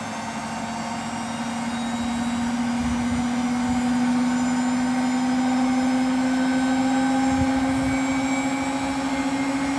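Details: Hotpoint WMFUG942 washing machine spinning up: loud steady roaring whine climbing slowly in pitch from bad motor bearings.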